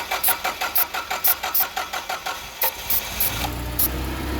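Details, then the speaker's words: Caterpillar forklift with basic EMCO fuel system, hard start, brake cleaner sprayed at throttle body while cranking: steady cranking that finally catches into rough idle; keeps running once started; vacuum leak. "okay then once they're running keeps on running so this one we're dealing with a vacuum leak"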